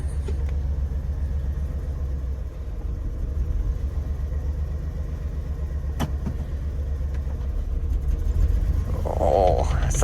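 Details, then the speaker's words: Chevrolet S10 pickup, mouse nest previously in the valve cover; uneven lumpy idle wavering and sagging, near stalling; rough idle, owners suspect idle set too low and raise the idle screw. "unhealthy maybe have to turn up the idle just a little out"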